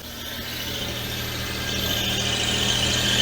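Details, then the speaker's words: Daewoo Matiz idling just after a service (new HT leads, air filter): a thin, steady high-pitched squeal from the belt drive; belts already replaced; owner suspects the power steering pulley, not confirmed. "it's a bit belty down there we'll just run it for a bit and then we'll um knock her off and check the levels [Music] i've got a bit of a squeak it might be the power steering pulley"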